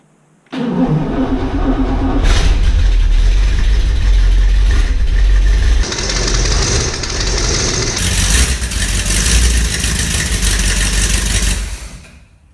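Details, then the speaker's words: 1963 Corvette Split Window, first start since 1981: fires up, then runs loud and lumpy with harsh raspy chuffing from a massive exhaust leak at the passenger manifold, left loose awaiting new bolts; timing also out. "right up but there's a couple problems right away number one there's a massive exhaust leak"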